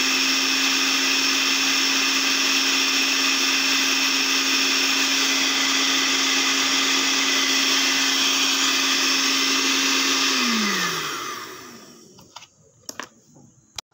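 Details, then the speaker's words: Blender repaired after a faulty module made it run briefly then stop, set to lowest speed: steady high motor whir holding an even pitch for ten seconds, then winding down smoothly. Running normally. "Oke sekarang kita coba puter yang paling pelan di sini ya"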